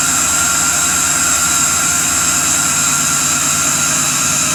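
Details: 1991 Porsche 944 S2 with LS 6.0 V8 swap, just after cam swap, no water pump or radiator fitted: loud steady high hiss with faint whistle over even V8 idle from the very loud idle air control valve; tune needs much work.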